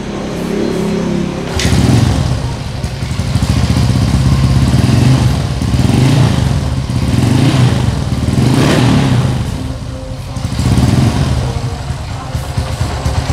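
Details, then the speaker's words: Motorcycle just fitted with a Temlar RRA Supra chromoly racing camshaft replacing the stock cam, idling with a few throttle blips: deep, soft bassy exhaust beat, valve train smooth without rough ticking; normal idle. "nah ini Joe sudah tak nyalain untuk suaranya loh fifa.tv ngebas ngebahas itu ngebahas empuk dan untuk tarikan lebih responsif"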